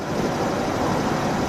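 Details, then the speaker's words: 2000 Isuzu Rodeo 3.2 V6 after rebuild with new crankshaft, bearings, connecting rod, head gaskets, rear main seal and timing belt: smooth even idle with only the fan clutch whirring, no ticking or knocking; normal idle. "you hear that that's all you hear is the fan clutch going no ticking no knocking no nothing this is a perfect job"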